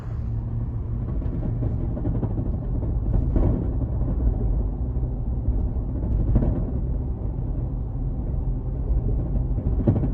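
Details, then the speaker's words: Nature Nest rooftop tent on a Prinsu rack while driving, before fix: heavy road rumble with periodic thumps and buzzing vibration as the tent sits aluminum-on-metal on seven rack rails; fixed by fitting rubber strips between rails and tent. "It's a ton of noise driving down the road. I'll post a clip after this clip to show you the sound, but even just shutting the door, it makes a lot of noise."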